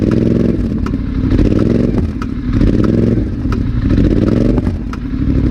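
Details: Polaris Sportsman ATV, 29 hours: sharp metallic clunk on each throttle on and off transition, exhaust audible; started right after first dealer service; driveline lash suspected, not confirmed.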